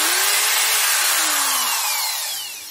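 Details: Corded PROTON D600 screwdriver after repair, rotor bearing screws tightened and weak housing part glued with sealant: clean high motor whine coasting down smoothly, no rattle or buzz.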